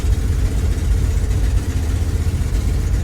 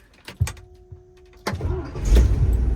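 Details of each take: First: 1982 International 1624 tow truck, 345 small-block V8, 4-speed, driving 300 km home: deep uneven rumble surging and sagging, popping and banging, struggling past 60 km/h, bogging and down on power; owner suspects snow in the carburetor or needing more timing. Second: 1982 International 1624 tow truck, 345 small-block V8, 4-speed: a short starter crank, then it catches at once and builds to a smooth, deep, steady rumble with no sputter. Normal cranking and start.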